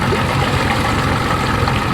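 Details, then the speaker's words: 1992 Johnson 60 hp outboard, prop cut down, reaches 5600 rpm; after throttling down on the lake, steady even low burble at idle with wind and water noise, no spitting, sputtering or popping; healthy running. "You listen and you hear that nice, clean, clear, throaty, no spitting, sputtering, popping, parking."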